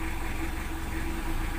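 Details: Diesel after replacing two busted glow plugs with used ones to fix hard morning starting: settles into steady, even idle with low smooth rumble and no misses or rough patches.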